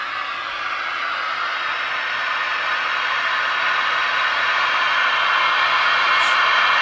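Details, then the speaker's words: RCA 2XF91 AM/FM tube radio after bypassing the dim-bulb tester to run directly on line voltage: loud, even hiss swelling slightly over several seconds as the set comes alive; controls not yet cleaned, no antenna; normal operation. "It's alive! It's alive! So this goes to show you, you cannot run the dim bulb all the time."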